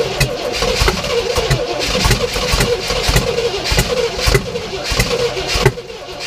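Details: 1967 Oldsmobile Toronado after cleaning points, fuel poured in carburetor, throttle pumped: long rhythmic cranking with uneven catches; fires briefly but won't keep running on its own.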